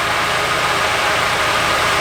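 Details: Nissan 240SX S14 Kouki SR20DET at idle: uneven, rough stumble with no steady beat; unplugging injector three kills it, unplugging injector one changes nothing, pinning the misfire on a faulty injector.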